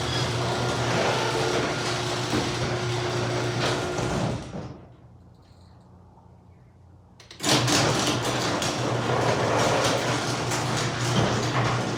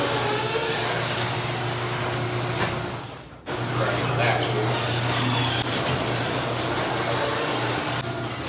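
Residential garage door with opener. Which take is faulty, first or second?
second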